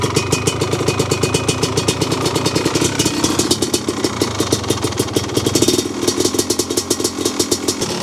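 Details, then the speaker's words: 1985 Honda ATC 250R two-stroke whose owner says the engine is noisy. Rattly idle with fast, uneven clatter and a faint low knock underneath; bottom-end noise is suspected, not confirmed, before teardown. "I know these two-strokes are noisy anyway, so it's a little hard to tell. But I do hear a noise, a little lower end noise, I think. That shouldn't be there."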